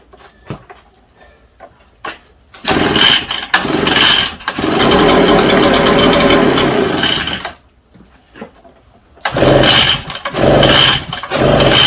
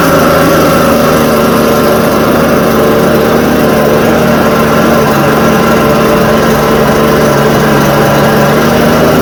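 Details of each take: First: Echo TB580T two-stroke blower: short bursts catching for one to a few seconds then dying; hard starting, won't stay running; owner suspects a rotted fuel line in the tank, fuel heard pumping back, stinky fuel with old fuel suspected in the tank. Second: Echo TB580T two-stroke blower, cold garage: constant high buzzing note holding speed evenly; runs smoothly before low-speed adjustment is reset.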